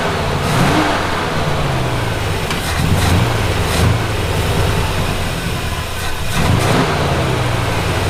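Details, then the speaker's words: Classic Buick V8 on a Route 66 trip, after roadside distributor trouble, runs unevenly with a lumpy, wavering low rumble and brief revs; huge vacuum leak because the PCV was left unplugged. "I'm like, why won't it run right? Huge vacuum leak. Completely forgot to plug in the PCV."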